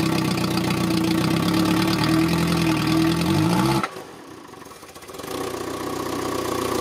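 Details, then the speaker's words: Citroën petrol engine; idle wavers with an uneven rumble and lumpy beat, then nearly dies; drive-by-wire throttle's idle air opening wrong for the engine, fixed by closing it slightly; unstable idle. "et puis je l'ai débranchée et j'ai essayé de trouver une ouverture mieux adaptée aux besoins en air du moteur au ralenti en fermant un poil plus le moteur tourne parfaitement ça s'entend clairement je trouve"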